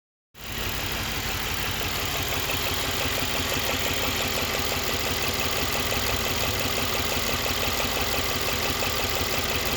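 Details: 2016 Mercedes C63 S AMG V8 idling steadily with an odd, fairly regular ticking-knocking pulse about three times a second over a hissy hum, abnormal engine noise of unknown cause.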